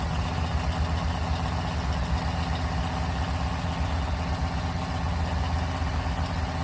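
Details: Big block Mopar 400 (stock-stroke 1974 block) on a run stand, first start and break-in: steady raised idle, deep even burble at constant speed with no knocks, ticks or misfires; normal fast idle.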